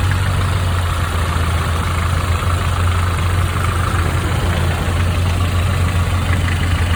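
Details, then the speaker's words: 1995 Nissan truck 2.4 L four-cylinder at idle before Tribo-MAX oil additive: steady idle with a light, quick ticking on top that follows engine speed; noisy valve lifter. "this is a 95 nissan with a 2.4 liter uh 4 cylinder it's got a valve last ticket nothing noise"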